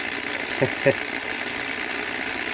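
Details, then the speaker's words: Dapol B800 track cleaning wagon with grinding disc and track cleaning fluid, moving on layout: thin, steady motor whirr with a couple of light rail clicks; grinding disc spinning normally. "so I'm going to turn the car back on with its grinding disk or do you feel that you can hear that one"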